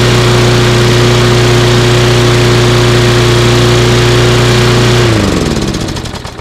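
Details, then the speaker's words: Lawnmower after repair, steady even beat with a clean hum, then spins down smoothly at shutoff; sounds pretty good. "sounds pretty good. So what we're gonna do is we're gonna finish put that cover on the top, and we'll run it along, trying to mulch it."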